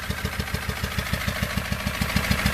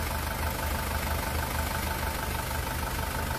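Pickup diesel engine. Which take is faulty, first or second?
first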